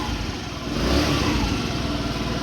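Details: Old GY6 scooter running after a new battery was installed. The steady putter swells cleanly with a throttle blip and settles back evenly; normal, healthy running.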